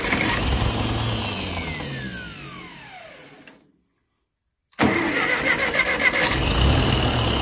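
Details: TO20 tractor after gas tank removal, with a suspected fuel-valve clog: engine winds down and dies, then restarts promptly and settles into an even, steady idle once fuel reaches it; normal idle.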